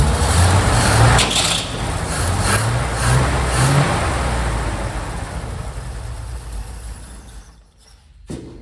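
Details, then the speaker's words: 1969 Chevy C30 1-ton V8 after head gasket replacement, running in neutral without coolant: deep rumble rises and falls cleanly through throttle blips, no knock or miss; throwout bearing spins smoothly, engine sounds healthy. "I think the throw out bearing is actually good. Spins smoothly. She's running. Sounds pretty good. Give her gas."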